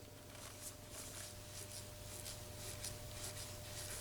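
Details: Jaguar F-Type (X152) new clutch throwout bearing and slave cylinder spun by hand after fitting: almost silent, only glove rubbing and faint room hum.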